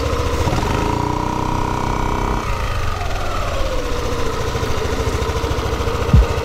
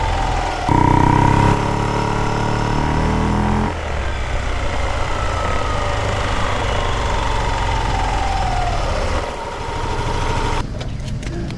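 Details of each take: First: Yamaha Aerox scooter CVT after replacing torque drive bearing and clutch lining rubber, mic taped near CVT; previously noisy when releasing throttle: revs up then steady even drone, no grinding or rattle; normal CVT operation after repair. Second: Yamaha Aerox, microphone taped at the CVT, engine blipped then freewheeling: loose stone-like rattle as revs fall, silent under throttle; owner suspected a crankcase bearing, finding was a worn torque drive bearing.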